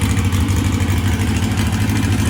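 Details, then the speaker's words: 1641cc flat-four with counterbalance, Weber IDF 44 twin carbs, first start after rebuilding a carb's throttle shaft and plates, linkage not yet connected, timing still unchecked: steady, even low burble that now holds a smooth idle with no misses. "sounded really good [Music] now i gotta get the linkage in and then uh but now it's sustained it's staying on idle"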